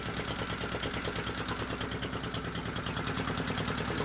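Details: Volvo Penta 2002 diesel from a 1987 Liberty Yachts Pied Piper 28 sailboat, after repair, warming up: regular even clatter at steady idle, no knocks or stumbles; normal warm-up idle.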